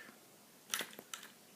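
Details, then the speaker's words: Russian MARZ 2.5 model diesel engine, new and still very tight, turned over by hand in a quiet room, giving a few sharp, dry clicks. It seems to click more on the clockwise rebound; cause unknown. "but in the meantime what is this funny noise hang on it's a sort of click"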